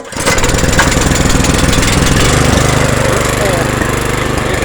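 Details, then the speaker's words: Legend Force rear-tine rototiller petrol engine starts first pull and runs steadily with no belt squeal after the belt was adjusted by loosening a nut and turning in the adjuster; a slight squeal on engagement is considered normal. "but it don't do that squeal anymore that took care of the screw it was squealing"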